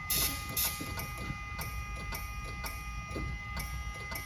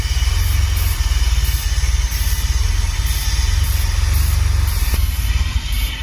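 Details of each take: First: DeLorean DMC-12 barn find, 977 miles, off road about 18 years, carb cleaner sprayed in intake, fuel pump fuse pulled: faint even clicks about twice a second, no crank; relay fine, suspected signal issue to starter circuit, dead relay or starter. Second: DeLorean DMC-12, 977-mile barn find off road about 18 years, first start: steady even low idle, no exhaust tick, quiet valvetrain, no low-end knock; healthy engine.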